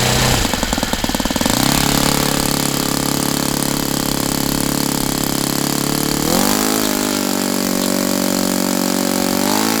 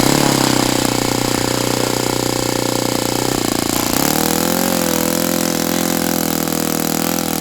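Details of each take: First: Saito FA-82a four-stroke model engine after spring replacement, earlier turning about 7,600-7,700 rpm: high steady buzz climbing in pitch to full throttle and holding smooth; normal running. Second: Saito FA-82a engine on test stand, after spring replacement, outdoors about 63–65°F: steady high full-throttle buzz dips near four seconds then holds lower, not reaching peak RPM; owner unsure if prop is 14x6 or 14x8.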